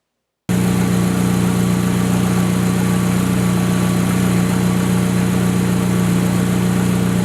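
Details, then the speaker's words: Honda S2000 with 38,000 miles, idle after replacing failing factory timing chain tensioner with a Billman unit: smooth, steady idle with an even low hum; the previous engine-bay ticking is gone. "Now I'm going to let you listen to the car, and as you can hear, there's no ticking, so the TCT has definitely done its job."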